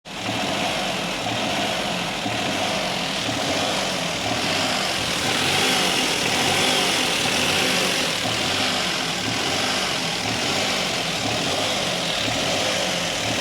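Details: Maruti engine: steady idle with an uneven, stumbling beat and no clean rhythm, then rising revs; engine missing and misfiring on a cylinder.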